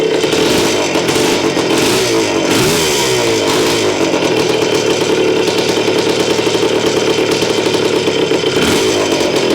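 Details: Honda CR250M Elsinore two-stroke running after years of storage, after kickstarter repair, a different spark plug and refilling the carburetor, on a cold ~30° morning in the shop; loud crackling exhaust, steady running with pitch rising and falling as the throttle is blipped.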